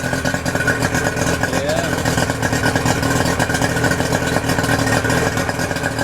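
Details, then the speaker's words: 2008 Yamaha 90 hp two-stroke outboard after new spark plugs, fresh fuel, cleaned fuel filter: smooth, even burble at steady speed with no misses or surging, water stream popping well. Normal idle. "so we're going to fire her up see how she [Music] sounds sounds pretty good water's popping"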